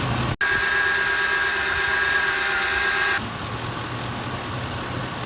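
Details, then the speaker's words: 2008 Ford F-150 after replacing the serpentine belt tensioner pulley to cure a whine: steady smooth idle with AC on, no whine over it; belt drive healthy. Normal idle. "and it appears to be working right and i don't hear any more of that vine that i had before"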